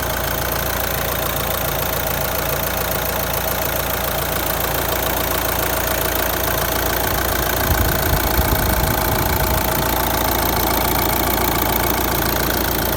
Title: R9M Engine noise Qashqai J11 1.6 DCI 130 215000km After cleaning injectors